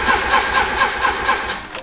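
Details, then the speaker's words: Turbo Miata cranking with no catch, in an even rhythm of about four pulses a second, from a suspected flooded engine; the injectors were still connected and kept dumping fuel onto the pistons. "so last time I took the spark plugs out I forgot to unplug the injectors so it's still dumping it onto the Pistons"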